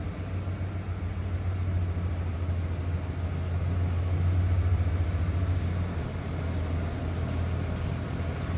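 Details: 1994 Ford Bronco XLT 4x4, 5.8 L (351 ci) V8, automatic with overdrive, oil pressure good, recorded from the rear at the tailpipe: deep, steady rumble with even pulses, no misses or ticks; smooth, healthy normal idle.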